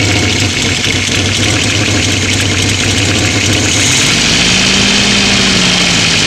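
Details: 1970 Opel GT petrol engine at idle: light, fairly regular clicking, about four a second, heard toward the back, going away at higher RPM before the revs lift; cause unknown, owner asking for ideas.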